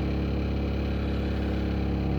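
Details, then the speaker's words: Opel Zafira A Y20DTH diesel held near 2000 rpm with a rapid, steady knock that is absent at idle and starts around 1300-1500 rpm; faulty crankshaft alternator-belt pulley. "Ну и что это стучит? Как оказалось, это шкив коленвала."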